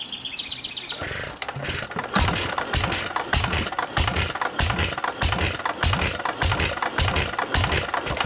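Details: International Model M hit-and-miss engine, tank full of water, first start-up, to power a tractor being built: sharp firing bangs about every half second in steady rhythm, coasting between shots; running properly.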